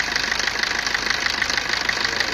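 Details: Maruti Ritz petrol engine at idle: a fast, even metallic rattle from a loose timing chain slapping its guides; the timing chain was replaced.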